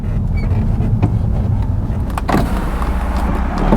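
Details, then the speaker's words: Audi TT power window: steady motor whir as the glass travels, with a couple of faint seagull-like squeaks; the window works normally. "a window works wonders as well sounds like a seagull sounds like about Blackpool"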